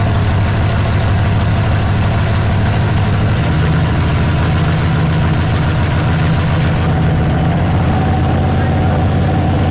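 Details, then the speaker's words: Dodge Super Bee autocross beater V8 on first start after being fired up, timing not yet adjusted: a deep, steady burble through short open pipes with even firing and no knocks or misses, a healthy idle. "yep I can put some timing in it that sounds good all right good ready yep"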